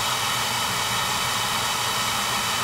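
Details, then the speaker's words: Oil burner after service: the Firomatic valve at the tank bottom had been changed and there was good oil flow but no start; new transformer fitted and electrodes fixed. Steady, even rushing roar, no pulsing or flutter; clean, stable flame, normal operation. "pad new transformer fix electrodes good spa good oil flow clean burn ahead so that should do it"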